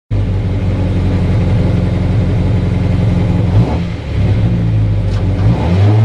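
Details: Mazda MX5 at Loton Park, T1 run of 72.43 after the engine problem was sorted; strong, clean engine note pulling hard at full throttle, brief dip at the gear change, then even power, healthy engine.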